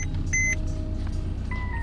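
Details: Mercedes C300 W204 after spark plug replacement (code believed to point to plug number two) and codes cleared: low, even rumble with no stumble or skipped beats under background music; smooth idle, no misfire.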